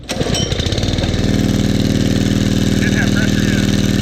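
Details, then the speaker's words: Brownie Third Lung Explorer 390-X with a Honda 5.5 engine on ethanol-free fuel: brief cranking catches at once into a steady, even putter. It starts only with the pressure released or the downtube unhooked, and won't start under compression. "so whenever i release the pressure that's what it turned over you couldn't start under compression right"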